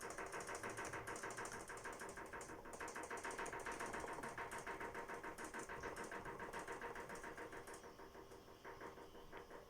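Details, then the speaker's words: LG FH2B8WDS7 direct-drive steam washer (6.5 kg, bought late 2016) knocking on spin while the tub rocks side to side: steady hum with a regular knock about three a second; pressing the side stops it, struts fine, owner suspects spring. "Что она стучала при отжиме, при том так конкретненько, вот такой вот стук был."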